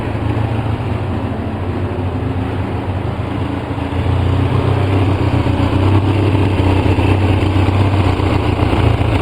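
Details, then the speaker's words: 2004 Polaris Sportsman 700 twin ATV, running about 10 minutes on 10-15% choke with Seafoam in the fuel: low, uneven idle that spits, sputters and wavers instead of settling, thick exhaust, dies without choke; caused by an air leak at a torn carburetor boot. "Here it's spitting and sputtering. I'll tell you, the exhaust in there is just really thick."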